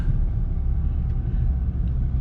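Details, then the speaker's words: 2018 VW GTI SE driving slowly on 93 tune: low even road rumble, no squeak or creak over bumps; the squeak is fixed completely. "Just going slow here. Nothing. Hell yeah. I'm super stoked on that."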